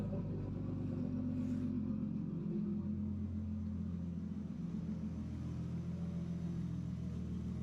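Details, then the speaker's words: RB engine after replacing coil packs with Yellow Jacket units following a failure at the last event: smooth, steady low idle with an even hum and no misses or stumbles, clearly better than before. "let's start it up and see if she runs smoothly trying to get everything set up definitely sounds a lot better"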